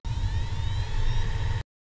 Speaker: have a listen to the sound of a hard disk when I connect it to power when you first switch on a hard dis you should hear a worrying sound which is the motor spitting up